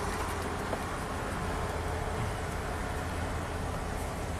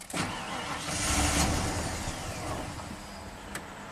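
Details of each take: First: 1992 Ford F-150 5.0 V8 with a used replacement throttle body and a previous TPS code, after the fix: steady, even low idle with the A/C load on and no hunting or surging. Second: 1992 Ford F-150 5.0L V8 with a used eBay throttle body, setting a TPS code (signal too high): cranks and catches, surges briefly, then sags and stalls instead of idling.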